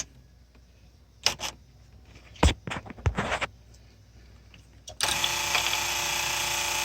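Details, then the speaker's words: 1994 Polaris Indy 500 EFI snowmobile, fuel pump bench-powered from 12 V battery via jumper, ground touched: clicks then steady even electric whine; fuel pump works normally. "that's working ok the pump works that's a good stuff hope you guys heard that"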